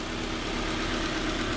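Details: Honda Civic four-cylinder after rod knock repair (new main bearings and one rod bearing cap): steady, even idle with a smooth low hum and no knocking; bottom end sounds healthy, back on the road.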